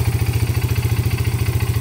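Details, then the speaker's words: Yamaha Breeze 125 single-cylinder: steady, even putter at about eleven beats a second with no misses or knocks; idling cleanly and running well. "They can hear the roar, and you know, it's a fun little bike. Runs good. Runs really, really good."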